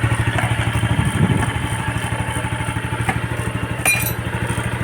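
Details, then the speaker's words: Yamaha Sight 110 motorcycle after connecting rod and side bearing replacement: even, steady single-cylinder thumping at a slightly high idle, with no bottom-end knock or clatter; engine now quiet, normal idle. "Okay, goods. Tahimik na yung makina."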